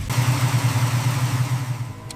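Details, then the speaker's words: Rusted barn-find Ford, stripped and rebuilt, at its first start after restoration: engine catches and settles into a low, throbbing run with a few small pulses, then tails off; starts fine. "Then, it fired up. That sound? Worth every cut."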